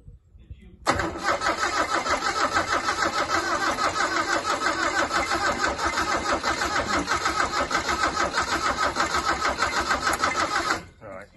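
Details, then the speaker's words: Isuzu Bellett GT-R classic being revived, carbs checked: starter spins the engine fast and evenly for ten seconds but it never catches; no spark because the HT lead had been knocked off the coil. "spark no spark well that was my fault if Keen I viewers I had actually knocked the HT lead off the coil so we'll try again"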